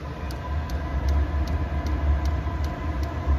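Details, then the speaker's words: Vevor diesel heater running on thin waste oil, diesel and two-stroke gas mix, after cleaning: crisp fuel-pump ticks about 2.5 per second over a soft steady roar as the flame lights; burner runs normally. "if you can get over that tick you can hear the flame light so just to verify we're going to call this 49° right"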